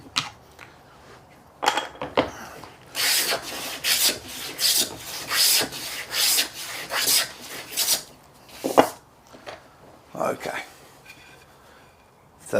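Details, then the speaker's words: Hand plane, blade set finer, now planing with the grain instead of against it for a better finish. Smooth, even swishing strokes about once a second, no chatter or tearing; clean cut. "okay and I'm actually going against the grain there so let's go with the grain or we can get a better finish"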